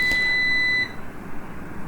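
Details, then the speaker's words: Numeric Digital 1000+V 1 kVA UPS switched off after mains removed: steady high-pitched beep held most of a second in a quiet room; long continuous beep from control board fault, board replaced under warranty. "இப்போ பார்த்திங்கன்னா long beep கேட்குது. இது board issue."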